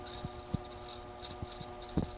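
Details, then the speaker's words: ProForm Crosswalk Advanced 525x treadmill, over 25 years old, running: a steady motor tone with irregular light rattling knocks at two or three a second, traced more to one roller end; cleaning and disassembly planned. "also the noise came from here we hear some noise not on this side but more from this side so we're gonna take a part of this one as w"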